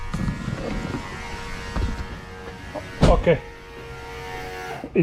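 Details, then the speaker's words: Ford Falcon AU XR8 with added electric brake vacuum booster pump, triggered by brake pedal: steady electric motor buzz with faint whine, plus handling thumps; pump runs evenly, though audible inside the car in this mounting location. "if we leave it here we step on the brake inside the car who you would hear the noise of the pump"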